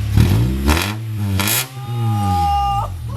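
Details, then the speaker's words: Honda Civic "Goldy" after swapping in the donor Civic's exhaust to cure an exhaust leak, engine revved: blips up and falls back cleanly twice, loud, deep, even note; sounds good, normal exhaust. "Yeah, that's fucking loud. Oh shit! It does, at least it doesn't fucking sound. It sounds good as hell though."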